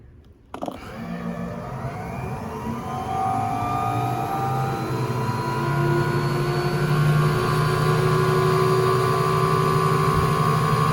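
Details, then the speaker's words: 1958 Hoovermatic 3174 twin tub washing machine, first spinner run after lubrication: spinner winds up smoothly with a steady hum and rising tones, no squeal or scraping; normal running (pump belt still needs replacing). "it doesn't seem to be squeaky now so let's have a little switch on"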